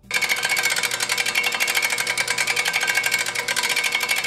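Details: Dutton-Lainson DLB1000ASL brake winch lifting a load: rapid evenly spaced sharp clicks as the handle turns, pawls engaging the rotating ratchet wheel; normal, lowering is silent.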